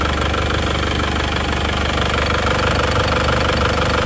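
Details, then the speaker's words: Isuzu Panther diesel after repair for blow-by and oil spitting: steady, even diesel clatter with no miss or surge and no smoke, smoother than before; normal idle. "bersih ya enggak mengeluarkan asap Seperti yang kemarin ini lihat sudah cukup mantap suaranya pun halus ya ini siap lagi"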